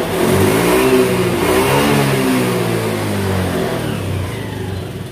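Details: 2018 Honda Beat that lost power at high rpm from a faulty TPS, after the TPS workaround fix: engine spins up and drops back cleanly with the throttle, no stumbling; healthy full-power revving.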